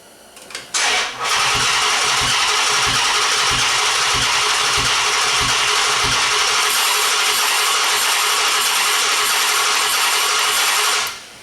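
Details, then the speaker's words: 2011 Chrysler 300 5.7 V8 with P0300/P0302 misfire codes, cranking compression comparison test: uneven starter cranking rhythm about three beats a second reveals a dead cylinder, an exhaust valve stuck closed. "we could hear that engine does not have a consistent cranking we got a dead cylinder"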